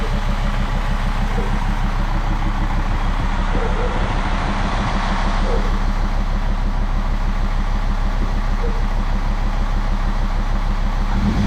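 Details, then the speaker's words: Jeep WJ Grand Cherokee 2.7 CRD diesel with injector problems, just started and blowing black smoke: steady clatter with a slightly uneven, lumpy beat; sounds like a misfire, owner suspects a diesel leak. "Sounds like a bit of a miss, so let's look for a diesel leak."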